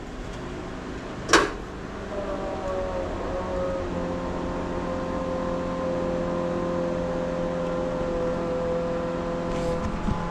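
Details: 1961 Ford F100 unibody hot rod, long abandoned, replacement rear-mount fuel tank, filter and fresh 93 octane fuel; electric fuel pump gives a steady mid-pitched hum for several seconds, running normally.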